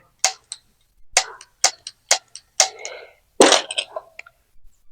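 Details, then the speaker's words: Igniter of a two-burner gas stove tested after being reinstalled during a hard-to-light repair. Sharp, crisp snaps on each pull, and the pull is still firm, so no replacement is needed: normal igniter operation. "Nah masih bisa digunakan ya, masih terasa bagus. Cara tarikannya itu sudah kenceng, masih kenceng, jadi nggak perlu diganti dulu."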